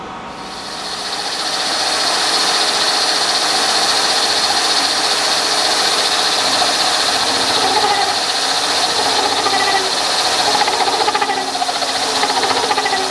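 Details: Milling machine hand-feeding a 3/4-inch-wide, 6-inch-diameter cutter with a new outboard support and a close-tolerance bushing added for rigidity. A steady, even cutting roar with no chatter or squeal: a normal, rigid cut.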